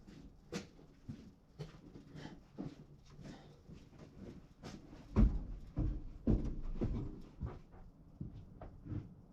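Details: John Deere 7830 tractor at key-on, engine off, mic beside the external VGT turbo actuator (a seized one was replaced; tractor was derating): light irregular clicks and soft clunks as the ECU runs its linkage travel test, working normally.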